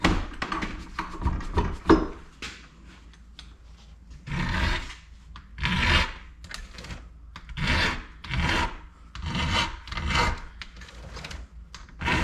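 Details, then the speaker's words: Hand-filing a Husqvarna chainsaw chain: even rasping strokes about once a second, each grinding smoothly right across the tooth with little force needed; a good sharp file cutting cleanly. "and you notice how smooth that sounds how it's got that grind sound all the way across that's that's a good sharp file"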